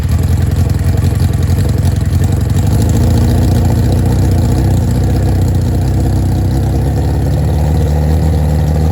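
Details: Nitrous Hayabusa drag bike just revived after storage: lumpy, uneven running with revs stumbling and hunting under a deep exhaust drone. Nitrous lines were fitted without jets, so the unsealed nitrous fittings leak intake vacuum.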